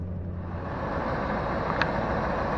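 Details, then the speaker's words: 2001 Ford F-250 Super Duty with a 5.4 Triton V8, idling after an oil change: a steady, even low rumble with no knocks or misses. Some of the noise comes from a slight exhaust leak on one side. "to that baby purr it legitimately does sound better guys"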